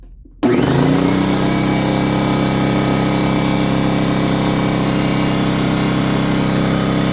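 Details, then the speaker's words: Fortress 200 psi 27-gallon air compressor, previously non-starting, started in a garage during a decibel-meter test, mic moving away toward the garage door: abrupt start, then steady loud even hum and pump drone, no knocks or rattles. Normal. "And check out the decibel. So the farther you go, I guess the sound goes down."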